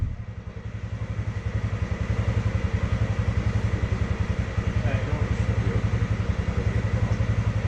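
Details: Polaris Sportsman 600 with almost no compression: fast, even cranking beats nearly four per second with no firing, engine spinning too freely; very low compression, it almost runs.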